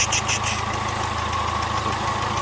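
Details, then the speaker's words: Citroën Nemo 1.4 HDi diesel idling with a steady rhythmic chuff and hiss riding on the knock, pressure blow-back from faulty injector seals, with burnt gas smell; injector seal leak. "comme d'habitude sur les moteurs hdi des symptômes sont les mêmes le bruit le retour de pression que l'on entend ici"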